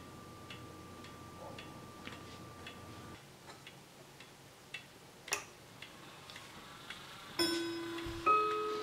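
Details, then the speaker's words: Howard Miller 61318 clock with a Kieninger Westminster-chime movement, after a misaligned pendulum was fixed: steady ticking about 80 a minute, then muddy doubled notes on the chime because two chime rods are touching each other. "sounds like we're hitting two notes [Music] here let's see if I can oh there's the issue right there there it is take a look we've got two that are two chimes that are touching each other"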